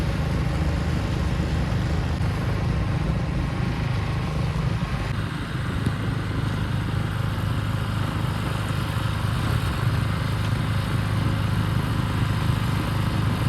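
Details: Ariens two-stage snow thrower model 11528, blowing snow at raised RPM; strong steady drone at high revs holding speed under load with no surging or knocking; normal running under load.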